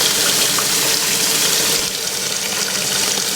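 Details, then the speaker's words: Kelvinator K605 washer starting its fill alongside a 1996 Whirlpool: thin steady hiss of a pathetic trickle, barely audible, weak water fill stream. "a pathetic little stream [Music] oh there it is so it did start first and you can hardly hear it too"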